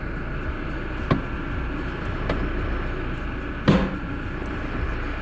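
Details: 2016 Toyota Hilux SR5 automatic, hard to change gears: a couple of sharp, heavy clunks from the transmission on gear change over a low, steady vehicle rumble.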